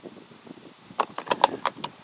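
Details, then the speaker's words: 1994 Ford F350 windshield washer troubleshooting: quick burst of sharp dry clicks when washer switch pressed, relay switching normally so not the fault; fluid in reservoir, pump next to be checked. "I the relay is kicking which is so that's not the problem"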